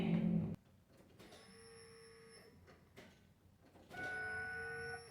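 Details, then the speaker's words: 1996 Ford Ranger after fuel pump replacement, key on with little, old fuel in the tank: two steady high even hums about a second each in a quiet cab, sounds like fuel pressure building; normal fuel pump priming. "that sounds like fuel pressure all right well Maybe you know pumps running"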